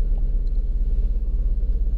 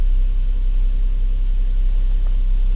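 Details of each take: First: 2007 Lincoln MKZ 3.5L with a customer misfire complaint, idling during scan-tool live data: a lumpy, uneven idle with a rhythmic stumble. Cylinder 2 misfire suspected; the engine dies when put in gear. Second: 2007 Lincoln MKZ 3.5L after misfire diagnosis, keep-alive memory reset done, fuel trims under 5%: steady, even low rumble at idle in gear with no skips or stumbles; engine idling smoothly and healthy.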